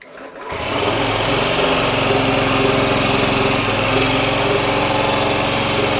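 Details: Small single-cylinder Honda Ruckus engine fires and settles into a steady, even putter at fast idle with no misses; the starter works, and the starting fault may lie in the relays or wiring, along with a dead battery.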